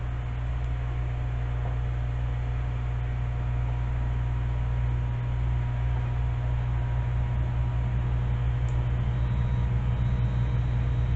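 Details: Heathkit SB-1000 amplifier, variac wound up with tube installed and low-amp variac fuse: steady low mains hum thickening with voltage; transformer loading supply hard, then variac fuse blew.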